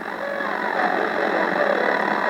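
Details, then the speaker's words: Yaesu FRG-7 analog communications receiver before restoration, AM station tuned in: audio comes through thin, rough and noisy with no clean low end; distorted output, owner suspects bad or leaky electrolytic capacitors, unconfirmed. "as you can hear the sound quality is pretty bad so might well not my for sure we'll need to take a look at you know what's going on"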